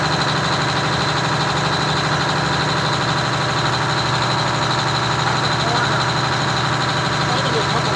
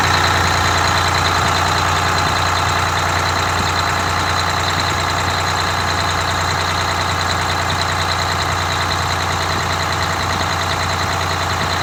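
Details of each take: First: Detroit Diesel 6V92TA two-stroke in a Wanderlodge bus conversion (rebuilt, had been sitting) idling far too high, a fast steady drone; idle later backed down from about 750 to 600 RPM (596.8) with buffer reset. Finding: high idle speed. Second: Detroit Diesel 6V92TA (rebuilt, had been sitting) in a Wanderlodge bus, idle being reset from too high (minimum recommended 500 RPM): steady, even two-stroke idle with smooth unbroken beat, no misses or knocks. Finding: normal idle.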